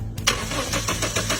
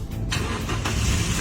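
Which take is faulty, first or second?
first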